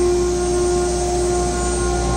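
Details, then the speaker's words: Zenbot 4896 CNC in new shop setup, VFD-driven spindle with cooling on house circuit, one-inch cutter at 24,000 rpm; much quieter than previous setup; steady high whine spooling up to one constant pitch, no wobble or rattle, running clean. "so this setup is actually extraordinarily quiet much quieter than the last one you know in the last setup I wouldn't have been able to talk to you while everything was running so you can hear the spindle spooling up"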